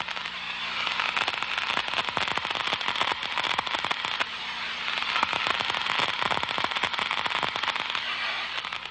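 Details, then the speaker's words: Liquid leak amplifier, a low surface tension liquid, poured on a suspected pressure leak and heard through an ultrasonic detector: dense, irregular crackling and popping like frying bacon as the bubbles collapse, marking the leak. "it forms bubbles these bubbles collapse creating ultra sound which is distinctive and recognizable"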